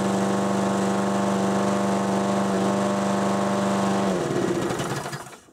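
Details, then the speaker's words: 6 hp Briggs & Stratton mower engine on a Murray deck at wide-open throttle before governor adjustment: steady, even, fairly low buzz held flat, then winds down; governor caps top speed too low. "So, you can hear what I mean. It runs. It does its job, but it kind of does the bare minimum, which is not acceptable."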